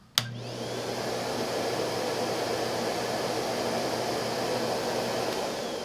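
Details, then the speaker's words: Henry Allergy HVA160 canister vacuum with HEPA exhaust filter, studio mic about a meter away: smooth even motor hum with steady airy rush after switch-on, pleasant and not too loud; normal running. "as you can see henry has a pleasant sound and isn't too loud"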